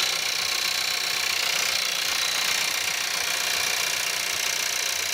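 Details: Skoda Octavia 1.4 TSI 150 hp petrol, cold start at -5°C: sharp, fast diesel-like clatter over thin hissy running at idle, rattle after freezing start.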